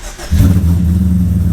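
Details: Engine on its original ECU, idle adjusted down, started cold with key prime and no throttle: fires after a brief crank straight into an even, steady idle with no stumble; clean start.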